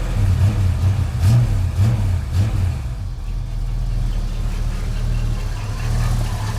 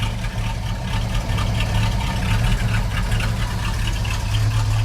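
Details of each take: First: 1989 Chevrolet S10 V8 pickup with 2.5-inch exhaust through two mufflers, likely bad old fuel: light throttle blips then low, soft, even burble at about 600 rpm; quiet, running slightly rich, normal idle. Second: 1989 Chevrolet S10 pickup with swapped-in 5.7 L 350 small-block V8, 2.5-inch dual-muffler exhaust, running a little rich, possibly on bad fuel; slow, heavy loping idle about 500–600 rpm with 60 psi oil pressure: idle speed low.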